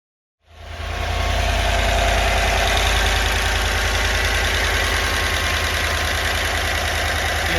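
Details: GM 6.2L/5.3L V8 (L86/L83) truck at first start after cam and lifter replacement, head gasket job, DOD delete and tune: catches cleanly and settles into a smooth, even idle with a steady beat and no valvetrain ticking; healthy.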